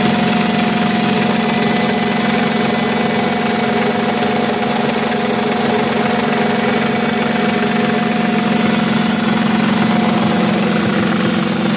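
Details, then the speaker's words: Idling engine with a steady, fairly regular tick about four times a second; teardown showed a worn camshaft lobe. "Evet arkadaşlar görebiliyorsanız egzantriğin mylusu aşınmış."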